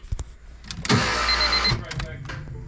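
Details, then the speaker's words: Honda G23 engine swap with a notched K-series intake manifold; the TPS was tripping out and making it hard to start. Brief cranking, then it stutters and surges, kept alive on throttle. Rough, stumbling start. "all right that didn't sound good finally y'all I was keeping it alive with the throttle"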